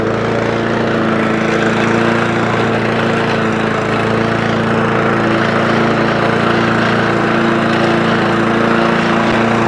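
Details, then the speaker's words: Honda Lawnflight 553 HRS Pro mower with Honda GCV160 engine, rover clutch and drive tested together after gearbox rebuild (drive had gone): strong, even engine drone, steady pitch, no knocks, grinding or rattles from drive; running as it should. "So happy. The lawn mower is running as it should do."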